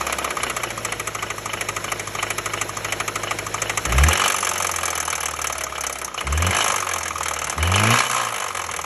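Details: Suzuki SJ / XT engine: rough running with an irregular knocking rattle that swells on each throttle blip. Engine knock, cause not pinned down.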